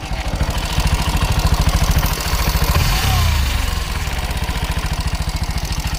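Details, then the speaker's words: Bajaj NS 125 single-cylinder bike at idle: metallic chatter over the thumping exhaust. Timing chain rattle from a loose timing chain tensioner. "అలా రావడానికి గల కారణం ఏమిటంటే లోపల ఉన్న టైమింగ్ చైన్ టెన్షనర్ వాల్స్ దీనికి loose అవ్వడం వల్ల మనకి ఆ సౌండ్ అయితే క్రియేట్ అవుతు"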